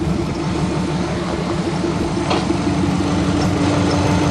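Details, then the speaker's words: Subaru Legacy, 2.5 liter boxer engine, after makeshift brake repair, heard from inside with stereo on: steady even low rumble and constant hum with no knocks or misses; idles smoothly. "Got her running good. Stereo works amazing. Let you hear what it sounds like."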